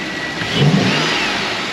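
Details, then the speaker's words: Engine after new parts were installed (problem solved): quick throttle blip rises cleanly and drops back smoothly with a deep, throaty intake note and no odd noises, sounding healthy. "one more time do it again very throaty"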